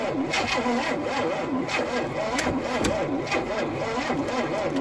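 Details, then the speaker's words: 1971 Chevy Nova being revived, thought flooded, battery connections loose-fitting; starter labours slowly, pitch rising and falling about twice a second with each compression, no catch; needs faster cranking, jump start or ether suggested: slow cranking. "Dude, if we had some ether, it'd probably start, but it needs to crank faster for sure."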